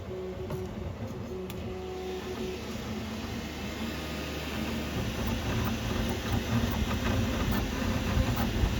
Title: Qidi Q2 - loose head - rattling sound